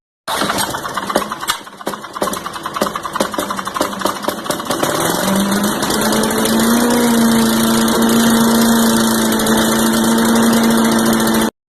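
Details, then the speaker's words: Tecumseh 4 hp engine on a Garden Way chipper vac, after a no-start was fixed by replacing the carburetor bowl ring, fresh fuel: rough catching start settling into steady, even buzzing run; running properly. "Okay, if you did everything correctly, you should have nice dirty hands and an engine that's ready to run. Put some fresh fuel in it and start it up."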